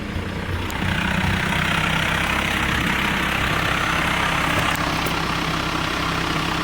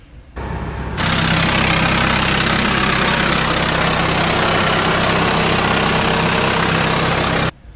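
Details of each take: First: TDI diesel idle after installing a twin-disc clutch on a single-mass flywheel: steady, even low drone with only a faint light rattle, much quieter than the previous single-disc clutch. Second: TDI diesel with a single-mass flywheel and single-disc clutch, before a DKM twin-disc clutch install. Loud idle with a constant harsh chattering rattle over the engine beat. Gear rattle at idle.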